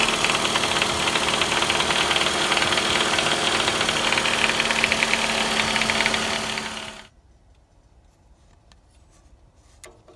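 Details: 2009 Toyota Vellfire 24Z (ANH25W), 2AZ-FE, 142,078 km: regular knock about four per second over idle; timing chain already replaced with no change, oil pan off, balance shaft and oil pump looked fine, but removing the balance shaft stopped it, so balance shaft blamed.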